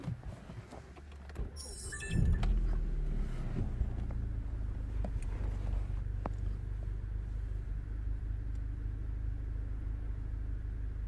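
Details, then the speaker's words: 2010 Golf GTI, previously misfiring with flashing engine light and EPC light, catches and settles into a smooth, even low rumble while warming up; no skips, misfire counter later shows none. "he's running really really steady"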